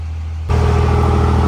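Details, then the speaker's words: 2nd Gen Cummins diesel, first startup and break-in after engine rebuild with fresh oil: steady, even idle with deep smooth rumble, no taps or knocks; slight fuel pop noted, sounds healthy. "But she's sounding good. Sounds smooth. I like it. I missed that sound."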